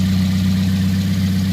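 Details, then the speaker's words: 2010 Toyota Yaris, 1.5 L four-cylinder, manual, about 114,000 miles: smooth, even low hum at steady pitch with no knocks, misses or ticks. Normal idle. "And she runs pretty smooth, pretty good. Sounds pretty good."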